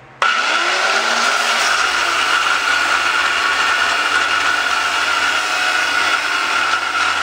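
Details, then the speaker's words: Angle grinder: steady high whine over rough gritty rasp from worn bearings that can't be greased without disassembly. "you can hear those bearings but there really isn't any way to uh get in and uh grease them"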